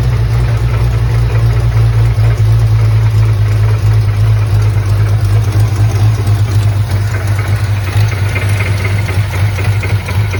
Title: tr6 odd engine noise on startup